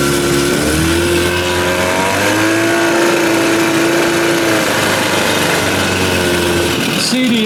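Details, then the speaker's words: Evinrude 30 hp outboard on its first run after an under-flywheel conversion. Buzzy two-stroke tone wavers and hunts instead of holding even: it doesn't sound right and runs rough; owner thinks it may just need clearing out. "no Breeze this morning so I'm trying to get out of the wind get over here she don't sound right"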